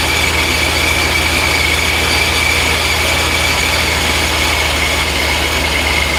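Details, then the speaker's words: First start of the supercharged engine after new mods: a steady deep rumble under a constant high blower whine. It fired up with some transient fueling issues noted, and the supercharger belt alignment looks true. "okay we got some transient issues it fired up that's a good sign did fire up"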